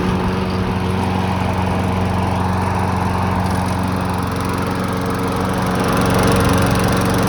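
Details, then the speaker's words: Cheap Briggs & Stratton walk-behind mower mowing snow in cold weather: steady, even single-cylinder buzz with no surging or dying after smoke cleared and it smoothed out, running a couple of minutes; normal running. "she ran for a while um had to let all the smoke out of it before it started running good uh smoothed out started running better ran for a couple minutes and seemed to be running nice and smooth"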